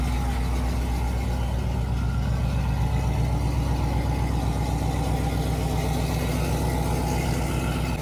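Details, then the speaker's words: Chevrolet Silverado single cab 5.3 V8 with long-tube headers, after a rocker arm change, before warm-up: deep, even burble with a steady firing rhythm, no ticking or knocking; normal idle. "sounds good I mean there really shouldn't be any issues all we did was change the rocker arm so nothing should really change"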